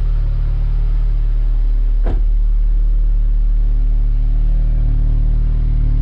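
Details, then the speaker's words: Audi S3 8V, still fully stock (before Racing Line inlet/outlet and cleaned, oiled air filter), cold start: loud, steady raised idle with deep even exhaust drone, no knocks or misses; normal cold-start high idle. "Là on a le démarrage à froid, hein, on est en cold start, c'est pour ça que ça tourne haut et qu'on entend bien le moteur."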